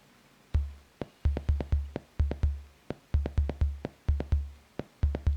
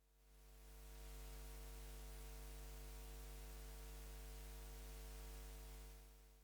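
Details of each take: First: Soundmaster SD-3 Disco Beat drum machine during repair: only deep kick and snare thuds, no hiss or hi-hat at all, because the noise voice trigger is grounded; earlier ringing came from a bad power supply or filtering. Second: Soundmaster SD-3 Disco Beat drum machine run from a bench power supply at full volume: only a low steady hum and faint hiss, no ringing; earlier ringing traced to the bad original power supply or its filtering.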